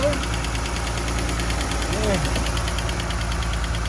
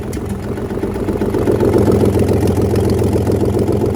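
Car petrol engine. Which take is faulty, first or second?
first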